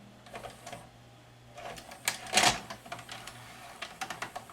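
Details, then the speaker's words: Magnavox ZV427MG9 DVD-VCR that spills and eats tape: loading clicks and short gear whirs, then a loud clattering eject with no spinning hum; the head cylinder motor does not run during tape load. "put a tape in it it loads it oh cylinder doesn't run that's not good"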